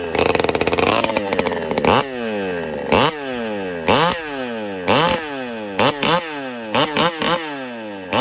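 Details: Pioneer P-41 chainsaw with big bore kit after repair: crisp, clean revs rising and falling sharply about once a second, steady idle between; running well.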